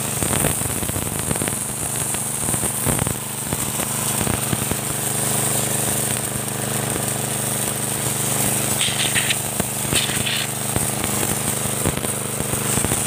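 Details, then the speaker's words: Motorbike-wash pressure washer after spare-part replacement to cure weak spray: a busy small engine under steady load with a hard, even hiss of water striking the floor. Strong, healthy pressure, many times stronger than before. "bisa dilihat guys ya kekuatannya guys Ya lumayan ya Meri guys ya kuat sekali searang kita semprot ke lantai guys"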